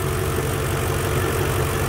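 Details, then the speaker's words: BMW E46 with an M62 V8 swap, at idle: an even hum with light, fast ticking over it, which is the normal clicking of the fuel injectors. The earlier knocking from the left bank is gone, so this is a normal idle. "um what you can hear now the fuel injectors clicking away the actual knocking sound that was coming from the left bank is gone so i'm happy about that"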